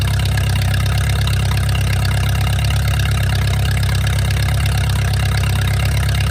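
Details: Mercruiser 470 3.7L marine engine, first run in 16 years after fuel reached the carburetor; deep even steady rumble at constant idle, no knocks or misses. Automatic choke not working properly, owner suspects his wiring. Normal idle.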